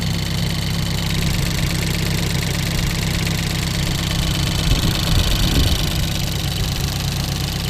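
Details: Ford Focus race car after a crash into a wall at Snetterton, started before rebuild, OBD scan showing nothing new, no leaks: steady, even idle with low rumble, no knocks, misses or hunting; normal idle.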